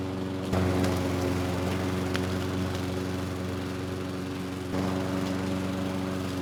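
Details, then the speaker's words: Craftsman lawn mower (model 917.374541) with Briggs & Stratton Quantum engine (128T02-1270-B1), curbside find revived with a new carburetor, cutting three-month overgrown grass: steady even drone holding pitch with only brief dips; runs strong, no misses under load. "I honestly didn't think the more had much of a chance of cutting the overgrown grass but it had no issues it did not miss a beat"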